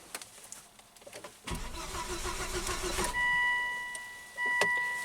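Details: 2005 Volvo V70 with 212,000 miles that sputtered and left its driver stranded: the starter spins the engine steadily for about 1.5 seconds but it never catches, then warning chimes. Fuel delivery to be checked next. Crank, no start.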